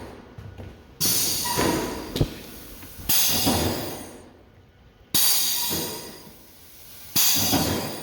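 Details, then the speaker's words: Ryko car wash on-board dryer with a blower oscillator fan-nozzle test run from the control board: air rushes in slow bursts about every two seconds instead of a brisk sweep, flaps moving very slowly and tired. "hey we got yeah movement kinda they are very slow"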